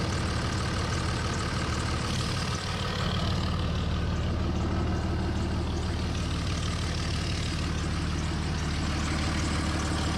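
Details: 2003 Dodge Ram 5.9 Cummins after HY35W turbo replacement: steady deep diesel clatter at even idle, about three beats a second, no whistle or rough spots; healthy.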